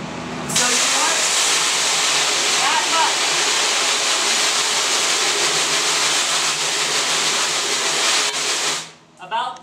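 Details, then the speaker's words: Water spray washing unexposed emulsion out of a screen-printing screen at half nozzle pressure; full force could blow out the hardened areas. A steady, even, moderate hiss with no surging means a normal spray at half nozzle pressure. "that's about as much washing or pressure as you should use okay you do not want to spray this at full force because it might blow out the part of the screen that you want to stay harden okay"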